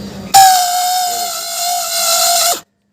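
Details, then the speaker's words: Suzuki Access 125 scooter starter. While cranking, a steady, piercing whine holds about two seconds, then cuts off sharply; the starter motor itself is faulty, and the whole starter motor was replaced. Noisy starter motor. "ये देखिए ये ऐसे sound आता है तो कोई भी बांदा क्या समझता है की हमारी गाड़ी का जो अंदर होता है भिंडी से या गियर कुछ भी खराब हो"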